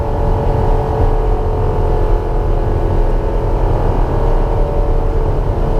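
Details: Light aircraft on its first flight after annual inspection: metal grinding sound with rough vibration while taxiing after landing, not noticed on the taxi before takeoff; steady low rumble with gritty grind from the gear, cause not yet confirmed.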